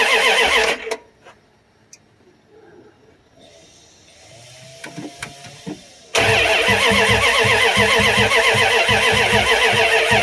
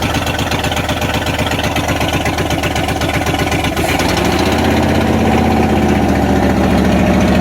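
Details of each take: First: 1994 Dodge Ram 1500 with the 5.2L 318 V8, cold after 4 years of neglect and rodent wire damage, fuel pump sending unit replaced, fuel poured into the throttle body, a connector left unplugged: the starter spins steadily with no firing. Cranks but no start. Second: 1994 Dodge Ram 1500 318 (5.2L) V8 after rodent wiring, vacuum line and fuel pump sending unit repairs, catalytic converter missing: catches and settles to steady open-exhaust beat, then revs lift; runs, possible bad wires or clogged injectors suspected.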